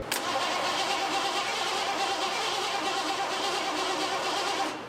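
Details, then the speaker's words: 1986 Ford F150 5.0 EFI, sitting about 25 years, after cycling the key to prime the fuel: steady cranking for about five seconds that never fires. The owner suspects no fuel is reaching the engine and plans to check rail pressure. "Wonder if we're getting any fuel up to the engine. I would assume not."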